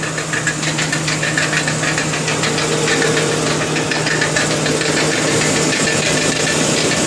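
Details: 2002 Lincoln Town Car at idle, knocking began a week ago, goes away when driving, no performance issues or overheating, oil fine; uneven rattly knock about three a second: failed driver's side catalytic converter, replacement stopped it.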